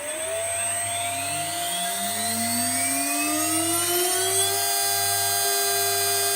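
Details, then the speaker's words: HSD 400 Hz CNC router spindle, 7.5 kW, on an Ecogoo 9100 VFD with a 5-second startup ramp and a braking resistor; smooth whine climbs in pitch over about five seconds to a clean 24,000 rpm tone, normal run-up. "straight up to 24,000 RPM."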